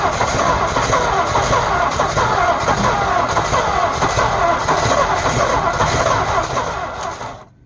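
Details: 1948 Ford F5 bus abandoned 25 years: slow, labouring starter cranking at roughly four turns a second for several seconds, never catching; owner suspects a weak battery, considers running a charger while cranking; an earlier attempt backfired. Extended cranking, no start.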